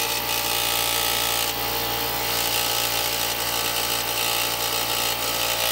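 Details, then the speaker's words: Harbor Freight 125 psi, 2.5 hp, 21-gallon air compressor with a 3D-printed intake muffler: constant whirring hum with steady mechanical chatter and strong vibration; intake quieter, but considerable mechanical noise remains. "few seconds just to see what the sound difference is and it has silenced it significantly"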